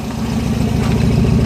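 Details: Pinzgauer, a little cold, just after twin-carb synchronization; steady, even low thrum with gentle throttle rise, no misses, no black soot, clean balanced idle.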